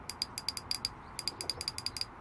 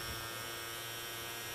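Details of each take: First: Fuel injector removed from a 2007 Ford Ka 1.3 petrol that sat parked for 2 years, bench-tested with 12 V applied: crisp, even clicking in quick bursts with clean pauses; the injector is mechanically fine. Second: Ford Ka 2007 1.3 petrol parked 2 years, no-start: electric fuel pump removed and fed 12 volts gives only a strained hum with high whine, tries to run then stops; pump motor seized.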